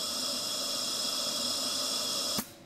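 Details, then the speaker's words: Jenny air compressor, off with pressure in the tank, pilot valve triggered by hand: a steady hiss of air escaping from the intake air filter assembly, cut abruptly, indicating a failed unloader pin under a pump cap assembly. "move your hand over to the pilot valve and manually trigger the pilot valve if you listen carefully you can hear air rushing out of the air filter assembly now listen"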